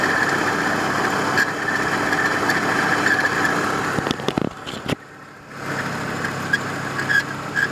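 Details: 1993 Volvo 850 engine at idle: a thin high chirp repeating about twice a second in time with the belt. Suspected bad idler or timing-belt tensioner pulley bearing.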